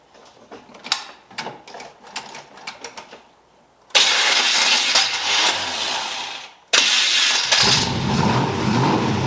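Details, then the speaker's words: 1981 Cutlass Supreme small-block Chevy after hot-lashing valves, replacing wrong spark plugs and fixing timing and HEI distributor: starter cranks a few seconds, catches and settles to an even idle, restarts cleanly; runs smoothly after tune-up. "the cutlass sounds good. It sounds good. It sounds happier than it's ever sounded now."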